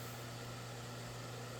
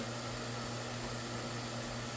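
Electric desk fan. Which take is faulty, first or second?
first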